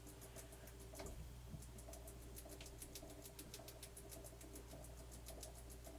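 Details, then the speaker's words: Sony TC-K5 cassette deck after belt replacement, playing: quiet running with fast light fairly regular ticking over a low hum; mechanical noise in transport, source not pinned down. "okay I think it's doing okay the only thing I don't like this noise and I can understand where it's coming"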